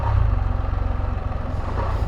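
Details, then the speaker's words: 2022 Can-Am Spyder RT Limited restarted after sitting once fully warm, now about 79 on the gauge, nowhere near hot: rough pulsing low clatter about ten beats a second at idle; unidentified noise, cause not confirmed. "I did have it fully heated up and then uh it was sitting there for a bit and I just fired it back up a minute ago but it's it's nowhere near hot enough to says it's 79 that's the sound"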